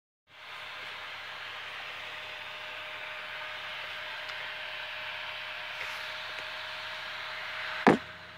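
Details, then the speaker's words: PC CPU fan after case cleaning, thermal paste reapplied and gummed-up rear exhaust fan freed, CPU at 64 °C under load; soft steady airy whoosh with faint hum, no rattle or grinding, much quieter than before; normal fan noise. "overall I would say this is a success just because I can still hear the fan but it isn't distracting me and it isn't annoying it isn't it's definitely not as loud as it was"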